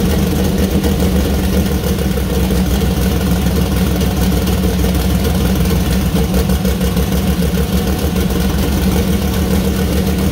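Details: First start-up of new 2000+hp LS engine (Dart LS Next block, 4in stroke, Brodix BR3 heads, .750 lift solid roller cam): loud, even, lumpy V8 idle, steady rumble, no knocks or rattles; runs clean, minor oil and water leaks found.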